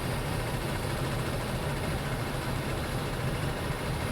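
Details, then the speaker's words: Jeep Liberty idling with AC on after DIY refrigerant recharge: steady, coarse low rattle over the engine; AC compressor suspected, unconfirmed, still not cooling enough. "That does not sound healthy."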